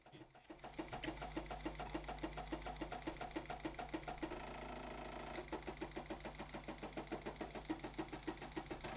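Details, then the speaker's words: Stepper motor on an A4988 driver switched from full step to half-step microstepping: a buzzy tone with a regular pulsing tick about three times a second, running somewhat smoother than full step but still noisy. "So we've now got something that's starting to look a bit like a sine wave, and the motor sounded like it was running a bit smoother than in full step mode."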